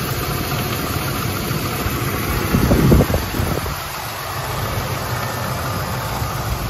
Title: AMC 360 tapping noise. 1984 Jeep Grand Wagoneer